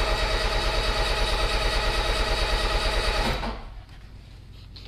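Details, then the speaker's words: Peugeot 205 first start after engine rebuild with 206/306 flywheel and new clutch, carburettor unadjusted and ignition set by guess: steady starter cranking about three beats a second, never catching; wrong spark plug lead order suspected. "donc maintenant il n'y a plus qu'à tourner la clé pour voir si ça démarre alors le carburateur n'est pas du tout réglé l'allumage et au pif donc si ça démarre déjà c'est pas mal"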